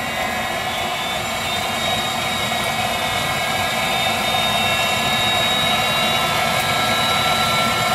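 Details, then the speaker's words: Viessmann Vitodens 200-W WB2B35 condensing boiler, built about 2011 and in service about 5 years, at startup: steady, even burner roar with a light fan whine, no pulsing or cutting out; burner ignited and running normally. "burner ignited operating [Applause] normally no problems"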